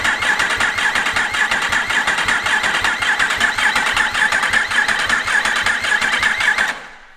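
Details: Freshly rebuilt Yamaha R1 race bike, engine just refitted, in neutral, upper injectors not fitted: steady starter whirr with even chug about two compressions a second, never catching, cranking to fill oil filter and front oil cooler; healthy.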